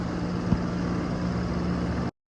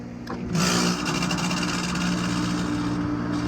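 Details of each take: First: Outdoor AC condenser unit after repair, set level on temporary pads: steady, even low hum with soft constant tone and no rattles or knocks. Normal running. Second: Running AC outdoor unit that stopped cooling, loud harsh mechanical clatter over a steady low hum; gauges show pressure that varies but will not pull down below 188, confirming a prematurely failed compressor rather than the fan.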